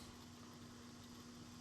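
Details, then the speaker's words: Radiant floor heating circulator pump stepped through medium to high speed, recorded on a GoPro; faint steady hum near two hundred cycles under a soft hiss, smooth and even, pump running normally. "If I turn up the speed on the pump, that's medium and that's high. You might be able to hear it through the GoPro,"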